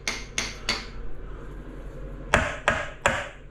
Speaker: when you hear that in a tile that's dry it's drummy when you hear that sound it's a solid it's a solid sound